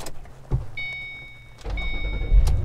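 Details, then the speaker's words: 2006 Ford Mustang GT, 18,018 miles, started from inside the cabin: door chimes, brief crank, catches at once and settles into a strong, steady idle; starts right up with no issues. "right up, no issues."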